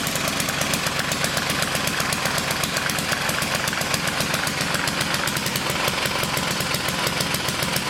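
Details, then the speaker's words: 1959 military single-cylinder engine fed from fuel line in a gas can, carburetor high-speed circuit sprayed out and slightly flooded: rapid hard firing stays high with no settling, revving very high as the governor runs wild. "Drop it in some gas and it'll run. But that governor was running wild. And that's through here. It was revving up pretty high."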